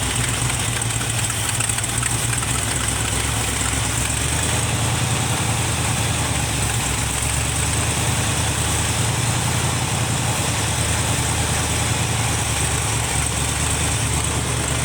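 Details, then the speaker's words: 1971 Chevrolet C20 pickup with a 454 big-block swapped in for a 402 that dropped a valve: loping, uneven idle with a faint hiss. Vacuum leak at the carburetor base suspected. "Whoa! Oh! That thing, not idling worth a poop. It's got a vacuum leak at the base of the carburetor."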